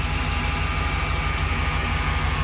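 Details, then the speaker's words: 2014 Jeep SRT8 after broken valve spring replaced, first start, cold weather, some smoke possibly residual oil: V8 idling evenly with a thin steady high-pitched squeal, possibly from the power steering, cause unconfirmed; squeal. "power steering making a little noise hey we got a little smoke hopefully this time it's just a resid oil and we ain't got no leak I felt squeaking"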